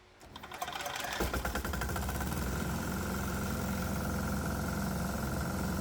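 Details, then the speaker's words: 196cc 3hp single-cylinder diesel fed diluted methanol-water fumes with the vaporizers off: it starts and settles into a steady run with a sharp knock about four times a second. The tachometer reads a little high; the methanol causes combustion knock. "Well, I can still hear a knock, but the show must go on."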